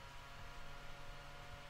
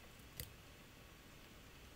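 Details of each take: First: Roland V-1HD video switcher's internal cooling fan, lid open, before the quieter fan mod: steady low hum with an even airy hiss, no pitch change, arguably more obnoxious with the lid on; loud cooling fan hum. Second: Roland V-1HD video switcher after fix, recorded on shotgun mic: built-in fan unplugged, near silence, then a faint steady low hum as the added external 120mm fan spins up, running smooth and very quiet.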